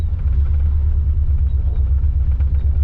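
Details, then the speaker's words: 1985 Chevrolet C30 dually, LS-swapped 6.0 V8, running rough after new fuel pressure regulator: deep rumbling idle with uneven lumpy pulses, misfire-like; owner suspects timing jumped, cause unconfirmed. "Well, before I even left the shop, I can tell you that it's not running better right now. It's like that timing is off. Could it have jumped?"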